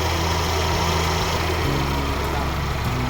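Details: Mercedes-Benz CLA250 (W117) idling with a loud, rough, gritty whirr at the front over a steady low hum; the leaking water pump is losing coolant, the Top up coolant warning is showing, and the car is awaiting repair.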